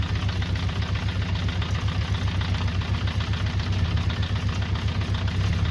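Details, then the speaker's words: 48-year-old Honda CB400 Four during restoration, idling below 1,000 rpm (spec 1,200): low lumpy idle about four beats a second, sounding like a tractor; rough idle from unbalanced carburettors and too-low idle setting. "Yeah, it's a bit rapidly ticking over, so that's why it needs balancing."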